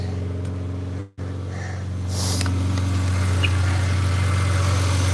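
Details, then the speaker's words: BMW 325xi just after a 330xi tune and a 3-stage intake manifold install: a steady, even low hum with a brief dropout, then a smooth settled idle with no hiss or stumble and no vacuum leaks. Normal idle. "We got no vacuum leaks because it's running smooth. Everything is done right."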